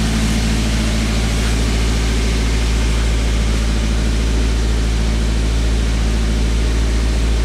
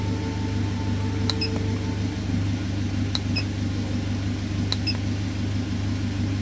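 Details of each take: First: 2010 Toyota Avanza at idle with an unstable idle and the check engine lamp on: a steady fast drone at about 1200 rpm against the 900 rpm standard. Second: Warm idle of a 2010 Toyota Avanza with scanner data showing vehicle speed 0, battery 13.7 V and VVT position 0.0°. Even, steady low hum with faint clicks and no knocks or misses; engine sounds healthy at normal warm idle.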